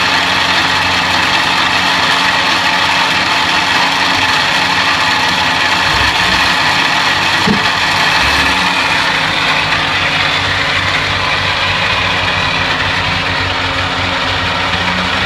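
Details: 1950 Buick running engine with a rough, gritty grind and a fast clicking, about four clicks a second; the cause of the grinding and clicking is unknown.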